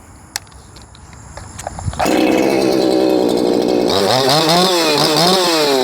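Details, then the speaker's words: Shindaiwa 492 chainsaw with Brisco-built Echo 4910 piston and cylinder and a modified carburetor: catches after a few pulls, screams to high revs with a thin hunting note; running too lean. "That's too lean."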